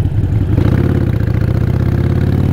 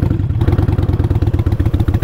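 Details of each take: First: Motorcycle after downshifting from fifth, which lugged and sounded terrible, to a suitable gear (second): engine pulls with a steady, even low thrum and no lugging or shudder. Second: Motorcycle kept in fifth gear at very low speed after a stop: slow, heavy thumping about nine beats a second with a labouring, strained note; engine lugging in too high a gear.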